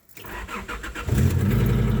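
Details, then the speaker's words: 1995 Acura TL on a cold day: starter turns the engine over slowly for about a second, then it catches and settles into a steady low rumble; slow cranking start, exhaust noise noted afterward. "there you go guys started a little slow but at the end of the day still start"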